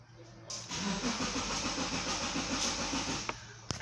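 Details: 2010 Subaru Liberty that intermittently cranks but won't start. The starter cranks steadily for under three seconds and the engine never catches; cause not confirmed.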